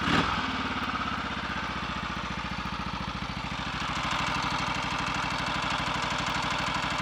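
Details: Redditch Royal Enfield 350 Bullet single, first start after full engine rebuild for a worn big end: steady idle with a light tap on each beat; ignition timing found slightly over-advanced by strobe, resetting it quietened the tapping.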